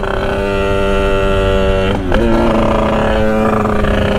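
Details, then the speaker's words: Sherco 50 SM supermoto with 77cc Metrakit two-stroke, 130 main jet, riding on the pilot circuit: low droning cackling, crackling and uneven at light throttle, loading up rich and dumping fuel; fine wide open. "yeah it's kind of making that kind of cackling crackling sound because it's loading up here it's all loaded up see now it's really loading up right there"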